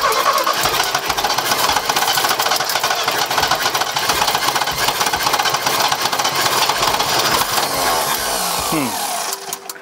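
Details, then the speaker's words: 1975 GMC Sierra Grande, 250 ci straight-six, abandoned truck, after timing tweaks: starter grinds, engine half catches and fires roughly, then dies as soon as the starter is released; fuel or ignition fault unknown. "okay what would make it die as soon as it soon as I let off the starter"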